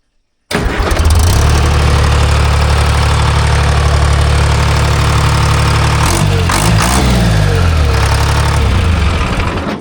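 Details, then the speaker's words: Timberjack skidder with a rebuilt Detroit 3-53 diesel, after the injector fingers were checked. It catches at once and settles into a deep, even beat of about four pulses a second with one rev, running clean. "I ain't mad at that. What's that? Right on the beam. Yeah. Better. I ain't mad at that. No. Sounds good."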